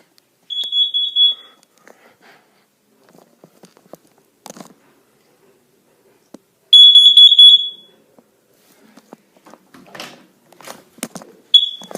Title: Carbon monoxide alarm test